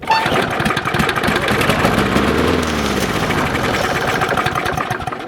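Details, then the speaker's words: Old Briggs & Stratton 6.5 OHC lawnmower left outdoors all winter, pull start after priming: single cylinder catches, runs rough a few seconds, then fades and stalls; cause unconfirmed. "look at that started but it [Applause] stopped"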